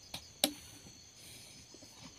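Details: Motorcycle starter relay bench-tested with positive supply and test pen: a few sharp crisp clicks as power is applied and removed over quiet background; relay switching cleanly, still working.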